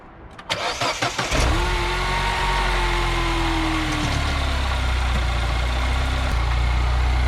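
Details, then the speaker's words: 2009 Mini Cooper Clubman S turbo after replacing the faulty ignition coil with a BMW coil: quick cranking, clean catch with a brief rev, then a smooth, steady idle. Normal start and idle; may still need oxygen sensors. "oh yeah baby looks like that's all it took maybe it still needs some few oxygen sensors and stuff like that but that's all it took was a little coil for it to run smooth"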